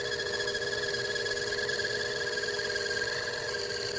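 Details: A steady, bell-like ringing rides over the lathe cut: tool chatter while facing steel for a homemade bench block, fed slowly.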